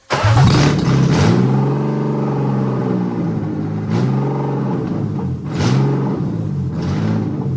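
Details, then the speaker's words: BMW E36 318 Touring after M52 six-cylinder swap, fuel pump wired to engine harness: engine starts and runs but idles badly, hunting up and down every second or two; cause unknown. "So now it works finally, and it runs really smoothly. But I have a really bad idle. I don't know why."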